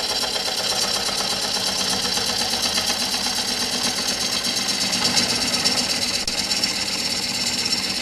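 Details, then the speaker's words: Woodturning lathe, first gentle passes on a blank not yet round with a protruding bump: steady cutting hiss with rhythmic tapping about three times a second, tool not cutting all the way around; interrupted cut on out-of-round blank. "So when you make those first few passes, you can hear that it's not cutting all the way around quite yet. And that's when you can have problems. So I'm always I go very gently on these first few passes when we're still not quite in round."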